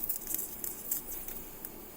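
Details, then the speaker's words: Newly installed RV-style PEX rainwater plumbing in a tiny house, on first opening the valve to pressurise it: a thin steady hiss with faint pattering as water leaks at a fitting. "Oh, I got a leak right there. Son of a bitch. Yeah, you hear that?"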